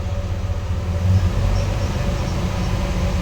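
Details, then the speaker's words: 1989 Chevy S10 with 4.3 TBI after TBI rebuild: deep steady low rumble with slight throb at low rpm, shudder felt; cause unknown, owner suspects a squeaking belt pulley. "I can definitely feel it right now rpms right here still vibrating"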